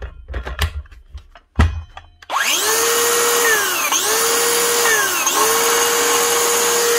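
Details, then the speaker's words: DeWalt Flexvolt 54V DCS577 type 2 brushless circular saw: it spins up to a loud whine with a high squeal that wavers and dips. The blade-side top bearing (6002) has collapsed; the saw runs fine briefly, then builds to squealing. Fix: replace the bearing and add gear grease. "actual bearing for the blade bundle she has gone bad and collapsed oh she'll run fine for a little while then once she starts moving away bit she starts building up a very bad very bra until she starts squealing like that"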